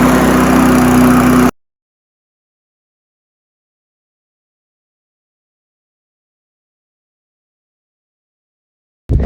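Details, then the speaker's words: Honda HR173 lawn mower after a detailed carb clean: a short burst of steady, even single-cylinder running at speed before it stops, sounding healthy. Normal running. "You'll see it outside, and hopefully it runs okay, because I've done all the carb and that."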